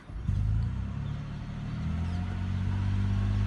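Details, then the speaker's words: 16-year-old Lexus RX hybrid after mechanic repair of the misfire (plugs and coil packs found recently replaced): low, even engine hum, steady rhythm, no stumbles; runs smooth, normal idle. "it's been a couple of days later the car's back to me and the misfire is completely gone and now the car runs smooth as butter there are no misfires anymore"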